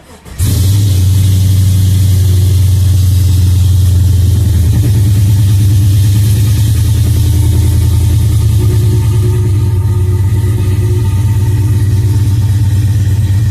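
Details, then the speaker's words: 2002 GMC Sierra, cold start after sitting a couple of days: catches instantly and settles into a smooth, even, deep idle with a steady rumble and no knocks, ticks or misses; healthy cold start. "yeah I haven't started thing up in a couple days let me start it up and I'll give you guys a quick cold start real"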